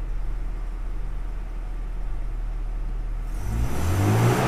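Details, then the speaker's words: Toyota Innova at low idle, then revving cleanly and smoothly to 6000 rpm after its air flow sensor was replaced with a used part. Before the repair it stuck around 3000 rpm and stumbled and popped under throttle. "mau digas ya Oh RPM 6000 mau dia tadi enggak mau ya"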